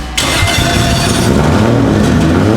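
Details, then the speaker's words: 2JZ engine in an E46 pro drift car build at first fire and first heat cycle, possibly slightly flooded before catching: catches sharply and settles into a steady, strong idle with no knocks or misses, healthy. Break-in oil in use; timing yet to be verified. "The braking oil seems to be working awesome. The engine sounds pretty happy."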